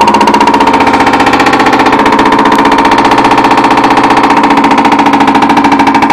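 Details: Whirlpool Duet front-load washer during the spin cycle, a noise that started recently. A fast, even knocking of about eight or nine hits per second holds steady through the spin, as if something strikes with each drum turn.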